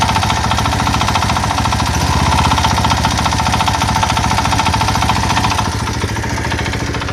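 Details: Single-cylinder engine idling without load after cover realignment: sharp rapid tapping about three to four knocks a second; owner suspects bearings scuffed by cover offset about a millimetre, cause unconfirmed.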